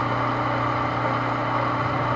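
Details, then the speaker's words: Household water pump that only hummed without spinning (less than a year old, appeared stuck) now freed and running: steady even motor hum, constant pitch, no rubbing or grinding; pump then draws water normally. "Ayun gumaano umandar na. Ayun lang mga kaibigan at napakadali. Ayan ayan po ay umandar na siya."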